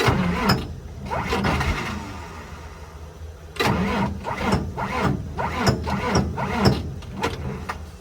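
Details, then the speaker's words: 29-year-old TimberJack 450-C skidder diesel, sitting 8 years, cranked on ether: uneven bursts with a few sharp pops, nearly catching on the starting fluid but not yet running. "It just got the ether to it. I thought it was going to go. I really did."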